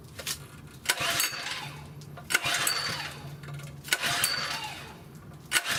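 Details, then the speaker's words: Southland lawn edger that won't start even after new spark plugs; the carburetor is to be checked next. Four rough pull-start bursts about every second and a half, each fading out without catching. Cranks but won't start. "Today I have a Southland lawn edger that won't start. I just replaced the spark plugs. It still won't restart. Still won't start."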